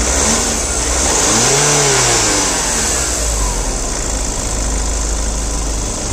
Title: Skoda superb 2011-2012, Engine noise.